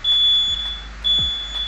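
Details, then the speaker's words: Mobility scooter with a repaired transmission motor: the throttle was pressed right at power-on instead of waiting about 3 seconds, so the controller gives two long high-pitched warning beeps about a second apart and the motor won't run. Controller warning beep. "Ito yung ingay ng diagnose natin. So kailangan pag in-on nyo yung unit, pagka-on nyo ng ganon, may delay kayong 3 seconds."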